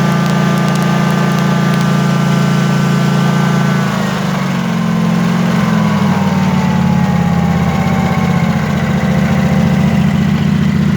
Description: It has a pop , misfire kind of sound but sounds fine at WOT.